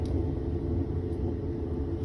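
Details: Whirlpool washer run dry in test mode: a deep, steady rumble from the transmission as it turns; worn bearings (baleros) are suspected, with water leaking from the transmission.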